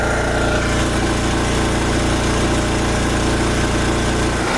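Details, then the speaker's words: Wen Power Pro 3500 W generator revived after sitting unrun about 16 years in a shed, loaded to 3,050 W at 58 Hz. A steady drone holds constant speed with a low pulsing beat, no hunting or stumbling: normal running under heavy load. "So now I'm going to fire it up and we'll slowly load it up and see what the voltage drop is. Okay, that's 3,050 watts right there. 58 hertz."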